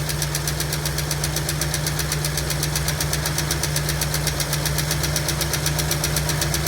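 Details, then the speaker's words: 1965 Ford Mustang coupe, supposedly a 302 V8 fitted around 1989–90, parked since 1992 with a locked-up engine, first start: sharp even tick about four per second over a rough lumpy idle, no smoke yet; persistent valvetrain tick, possibly a sticking lifter. "No smoke as of yet. We'll see what happens after a little while, but nothing yet. That lizard tick ain't going away either."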